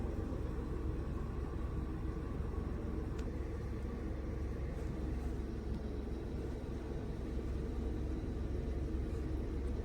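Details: VW Polo in for stalling after about 10 km of driving and weak pickup, with a P0301 cylinder 1 misfire code. After clearing faults the rescan is clean, and the engine idles steady and even with no stumbles or knocks. Normal idle.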